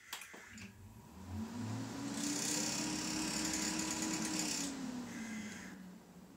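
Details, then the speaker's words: Stock Corsair H110i GT radiator fans at system power-on, before replacement with Noctua NF-A14 iPPC 2000 RPM fans: a loud rushing whir climbs and holds with a fast fluttering rattle underneath; noisy, clicky, rattling fans. "my loudest part of my system is always the two radiator fans they're just way too loud personally for me"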